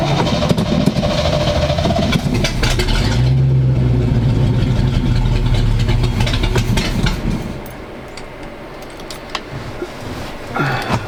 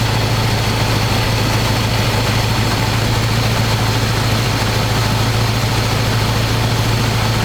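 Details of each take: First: 1985 square-body 454 big block, 4-speed, sat 20 years, fresh gas, 45-50 psi oil pressure, charging; choke on, loud steady raised idle, no ticking; owner may need to work on carb, won't rev well. Fast idle on choke. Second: 1985 square-body 454 big block, 4-speed, sat 20 years, oil and filter changed; after adjusting idle screw that wasn't touching throttle, warm engine idles smooth: deep loud even open-pipe rumble, steady, no stumbling or hunting. Normal idle.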